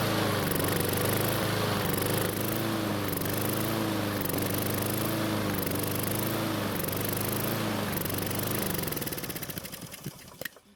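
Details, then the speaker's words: Husqvarna mower engine with carburetor work done, started on the bench, breather passage cover missing; runs with a wavering, hunting pitch, hiccups, then sprays oil from the emissions breather tube and winds down to a stop. "so that was very unexpected I Was preparing to replace the air filter when the engine sort of had a hiccup and then started to spray oil from the emissions tube"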